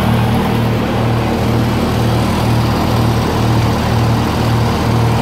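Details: 1948 Lincoln SA-200 welder engine, long unfuelled, carburetor refitted on temporary fuel, makes a steady low drone with an even throb about twice a second, no knocks or misses; revived with little work, running smoothly.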